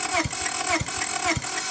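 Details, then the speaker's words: Honda Civic, cold, after heating spark plugs with a torch and pouring fuel into the throttle body: starter churns in slow regular pulses about twice a second with no firing; cranks but won't start, compression in only 1–2 of 4 cylinders, suspected bent valves from frozen water in the head, intake backfiring. "unfortunately this car she just doesn't want to go she just doesn't want to go"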